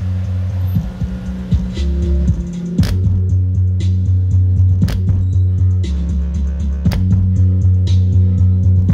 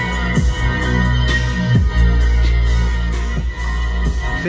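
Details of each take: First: Range Rover Evoque factory door speaker playing music: bass notes buzz and rattle instead of sounding clean; blown mid-bass distorting while tweeter is fine, to be replaced with a same-pattern mid-bass. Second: Range Rover Evoque door speaker after replacing a vibrating, distorting factory speaker with a stronger mid-bass unit on the original plug: bass-heavy music plays cleanly without buzz, rattle or crackle; clean speaker playback.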